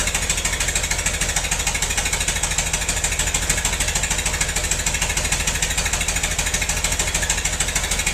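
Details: Massey-Harris 44 tractor stored about 10 years, new points: rough uneven chuffing around 98 beats a minute with loping gaps; cylinders 2 and 3 not firing, owner suspected stuck valves, plugs or wires; a stuck intake valve was found.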